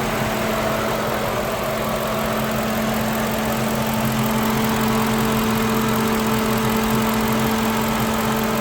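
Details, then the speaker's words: Lincoln Town Car idling warm at normal temperature after replacing the worn-out 19-year-old electric radiator fan motor: smooth even idle with steady fan whir, no rattle or scraping; cooling fan running normally. "Yeah, I haven't heard that for a while, guys."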